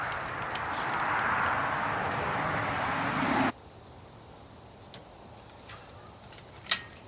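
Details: Rotax 700 two-stroke snowmobile engine after teardown to pack the crank bearing: crisp, even buzz holds steady for a few seconds, then a clean shutdown; runs good, no knocks, no leaks.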